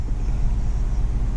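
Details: 2012 Dodge Grand Caravan 3.6 started just after starter replacement. Engine catches quickly and settles into a steady, even low rumble with no knocks or misses. Starts and idles normally.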